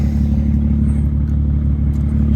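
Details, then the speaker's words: BMW 335xi after a head gasket replacement with an Athena cut-ring gasket, just started, snowing: a smooth, steady low idle with an even beat and no ticking, knocking or misfire. The engine is running healthy. "She sounds good. Of course, it's snowing, so we can't do any crazy pulls. But she's alive again."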